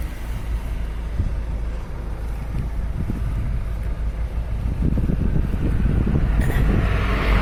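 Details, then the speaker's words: Citroen C4 Grand Picasso 1.6 HDi turbo diesel, microphone at the exhaust: low steady rumble at idle with even pulses and some outdoor noise. Normal idle, recorded for comparison with a higher-mileage example. "The exhaust. you are. That is how noisy my diesel engine is."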